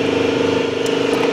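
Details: 1999 Chevrolet Suburban 2500, 5.7 350 small block, quit while driving after misfire at idle: steady, even cranking with slight labouring pulse, never fires; fuel pressure present, no spark.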